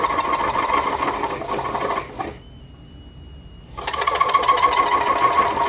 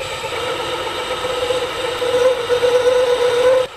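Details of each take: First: Compact aluminum-case DIY multifunction lathe cutting a 1.5 mm groove in a 5 mm steel shaft: harsh rattling chatter at about three pulses a second, stopping in a pause and returning on the cut, because the machine lacks rigidity. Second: Compact DIY aluminium-case lathe/mill/drill combo turning outer and inner diameters after re-tightening loose X-axis bolt: steady mid-pitched cutting tone, no chatter or knocking; cutting cleanly.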